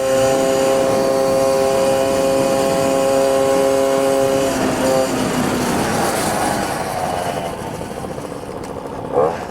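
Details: Moped two-stroke road test after resealing the reed valve (clapet) with a gasket to cure an air leak between intake pipe and reed valve: even buzz at steady pitch, easing off smoothly with no stumbling or hissing; pulling cleanly.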